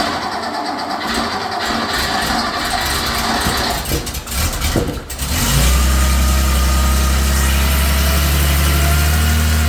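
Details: 1979 Porsche 911SC rebuilt air-cooled flat-six with CIS injection, cold start on test stand at 16°C after timing and mixture set; first attempt unhappy until fuel turned on, then cranks briefly, catches cleanly, settles to steady even idle, no misses or knocks.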